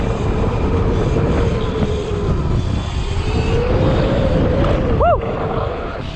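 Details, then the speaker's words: Sur-Ron / Segway X260 electric dirt bike riding after tightening a loose chain that had tapped the frame off throttle: steady motor hum under wind, no chain slap or rattle; significantly quieter, more responsive, tension correct. "significantly quieter, no chain rattle noise, more responsive acceleration."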